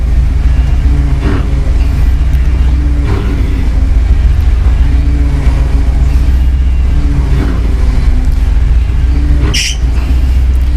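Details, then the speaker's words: 1966 Ford Early Bronco Saginaw power steering gear: engine idling with an intermittent low hum rising as the wheel is turned; owner suspects fluid passing worn seals in the gear, or possibly the pump. Power steering noise when turning. "let's see if I mess with this well the problem sounds seems better but turns this is actually what makes the noise"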